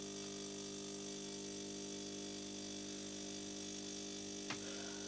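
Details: After repair, the fixed espresso machine brews a double espresso from beans in the hopper with a steady, even motor hum and constant thin whine, no knocks or labouring: a normal brewing cycle.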